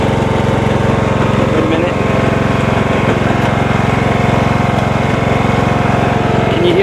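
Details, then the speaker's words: John Deere 160 with Kawasaki single-cylinder engine and 5-speed transaxle, in gear with clutch released: engine runs steadily with a clunking knock about three or four a second but the tractor won't move. Transaxle case is cracked at the rear and gears are stripped. "clunking anyway he says it appears as if the case cracked in the back here the transaxle case cracked and it spilled its guts on his driveway"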